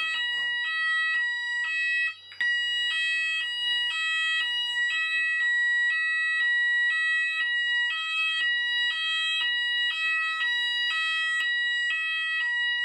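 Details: Apollo addressable fire alarm system test, landing detector on Zone 3 activated: loud, steady alternating two-tone warble repeating evenly with no dropouts; sounders operating normally.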